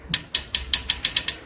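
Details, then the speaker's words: Motorcycle pulling away in first gear: sharp metallic ticks speeding up, the drive chain slapping the swingarm at initial take-up; guide pad not keeping it off; stops once speed stabilises. "لانه خد بالك الجنزير في اول الطالعه بيعمل كده في بدايه الشد بيعمل كده انما لما الموتوسيكل سرعته بتعلى الجنزير ستقر بيثبت فما يخبط"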